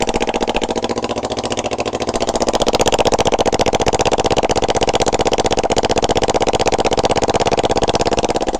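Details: Rebuilt 2007 Kawasaki Ninja 250 twin with a used 1995 head running without exhaust, on choke; loud raw popping, about four beats a second, crackle every stroke. Owner suspects worn valves or rich running on cylinder 2.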